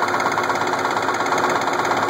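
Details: Case IH 1680 with 8.3L Cummins diesel idling with a steady, hard knock at engine speed; knock started slow and got worse; timing cover removal found a cracked cam gear with missing teeth.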